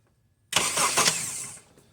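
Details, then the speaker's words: 2008 Honda CR-V with intermittent no-start, starter previously replaced elsewhere, starter fed 12 V manually at the solenoid signal connector: about a second of brisk, even cranking with no grinding or clicking; B+ cable, solenoid feed and starter ground good. "okay so by doing that from this point down we know that the Big B plus cable to the starter on the stud is providing enough voltage and amperage"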